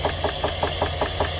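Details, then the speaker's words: 2022 Chevrolet Suburban with a flashing check-engine light and misfire, valve cover off: a sharp, steady tick about five times a second over the idle, following engine speed; one cylinder's rocker not moving. "Pensé que algún balancín o algo estaba suelto, algo no pareciera lo que es de acuerdo al ruido y ese cilindro es el que está fallando."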